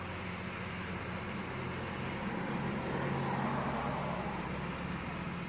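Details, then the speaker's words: 2014 Chevy Sonic 1.8L non-turbo, 84,000 miles, warm idle after replacing the plastic valve cover with integrated PCV valve: steady even low hum, no knocks or misses; codes cleared, normal idle. "It's usually right on 800 when shit's running right, when it's warmed up some."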